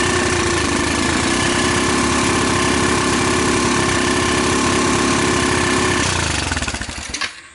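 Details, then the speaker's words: Rapidity GY6 150cc quad after a PZ27 carburetor swap, running on a hacked pit bike CDI: single-cylinder chugs in a rough, uneven beat near four a second, never climbing in pitch, then it dies; won't rev to full RPM, later traced to misadjusted valves. "you know what maybe it's a little better it still basically has that problem"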